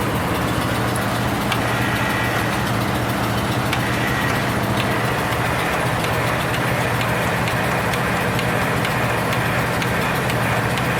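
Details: Cold start of a machine with 579 hours, sticky starter and jumper cables on a battery that goes dead when sitting, added fuel pump: steady even cranking drone but it never fires; cranks, no start.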